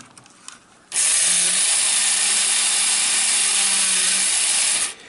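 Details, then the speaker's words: 50-year-old Mr Mercury tin battery-operated toy robot, motor reversed to flip the gear transmission so he bends over: high, buzzy whir with rough gear chatter; the gearbox is worn, and the upper motor is more worn than the lower. "so he seems to have quite a bit of wear on him the upper motor um is even more worn than the the lower motor"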